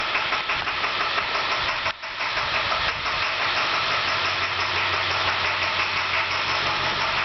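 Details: International school bus diesel with a broken injector tip: rough idle with loose, uneven knock about three times a second; injector knock.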